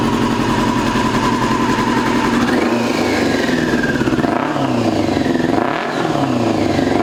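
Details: 2002 Yamaha YZF R6, 6 years sitting, restarted after fuel-leak cleanup: uneven, lumpy exhaust note wavering as revs rise and fall, as if one cylinder is dead. Owner suspects a gummed carburetor or fouled plug; unconfirmed.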